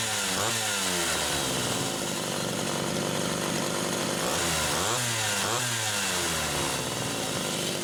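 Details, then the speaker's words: Homelite Super XL chainsaw test-running carburetor number 2 after its Welch plug was replaced; both mixture screws had been over 3.5 turns open. The two-stroke revs up and drops back cleanly several times, pitch sweeping smoothly without stumbling or bogging. Judged good. "Okay. I'm going to call that one good too."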